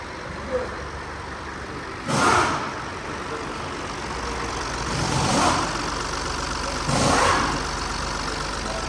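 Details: BMW 116d diesel restarted after oil service, once the pump drew oil: steady, even diesel clatter at idle with a few brief swells; sound changed after oil pickup, engine running smoothly, normal idle.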